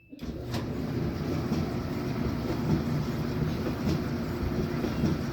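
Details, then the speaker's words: Samsung gas dryer, after replacing drum rollers modified with sealed 10mm bearings on hardened bolts, running air fluff without heat: low, even tumbling rumble with no squeal, thump or grinding; drum turns smoothly. "Alright, definitely sounds a lot better."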